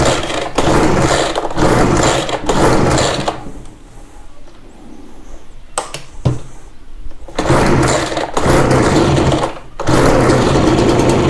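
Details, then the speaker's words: Ryobi BR42 two-stroke backpack blower, sat one to two years, fuel lines reversed so fuel was pushed back through the filter instead of drawn up. It catches and buzzes in short bursts, then sags and dies before refiring. Fuel starvation. "i think i might have had those on backwards meaning i was pushing water back through the filter i'm sorry not water fuel back through the filter instead of sucking it up through the filter"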